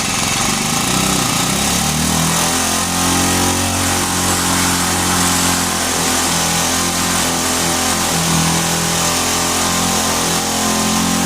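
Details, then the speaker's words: Vintage Hot Wheels R1NX gas go-kart, single-cylinder, revived after sitting about 10 years, restarted after cooling down with choke; hands off, it buzzes at a steady, noticeably high idle with no dip: fast idle. "Hands off, kind of a fast idle."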